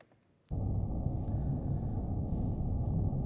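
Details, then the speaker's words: Recording from a London hotel: sudden deep steady rumble lasting about three seconds as an underground train passes beneath the building; ground-borne train rumble. "ground vibration is something we experience in two different ways we can feel it as vibration at low frequencies mostly an issue for surface railways or we can hear it as a rumbling noise"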